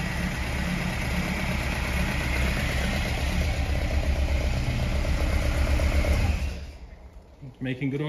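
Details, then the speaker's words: 1979 Ford Escort RS2000 Pinto engine, first start with new billet distributor and leads, static timing only, no throttle cable: steady, even idle, smooth low beat, no tapping, misfire or smoke; good oil pressure. "in real life it sounds really good no tapping no smoke making brilliant oil pressure happy days"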